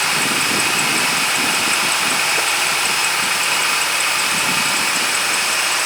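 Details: 2008 Dodge Ram 2500 5.7 after a starter replacement, slow cranking beforehand: steady, even idle under a hissy background with a faint chirp the owner attributes to a pulley squeak; engine runs smoothly and sounds healthy.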